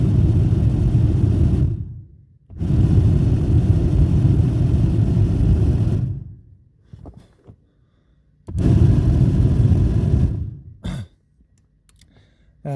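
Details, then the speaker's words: 2009–2010 Volvo XC60 whose heater blower ran very slowly even on high, blower fed directly through a jumper wire with a 20 A fuse: strong steady whoosh starting and stopping sharply at full speed. Motor windings are healthy. "so now as you can see one one end of the jumper wire is connected to the wire uh which comes out from the heater blower fun and this one if I touch that here and you will see the the uh fun uh operates at full speed"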